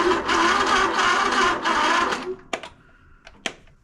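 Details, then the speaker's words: Simplicity Regent S mower, no start, battery dated 2019 reading about 10.04 V: labored slow cranking about three or four strokes a second, then dies to clicks; battery too flat. "10.04 volts. Surprised it actually had enough to turn it over."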